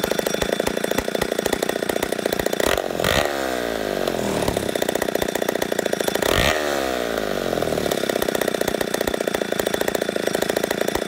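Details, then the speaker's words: Poulan 71A two-stroke chainsaw after carb work: idle hunting, revs dipping and recovering twice in ten seconds; owner suspects intake leak from crank seals after long sitting, not confirmed. "it sounds like I might have a little bit of a intake leak it's probably the crank seals been sitting so long"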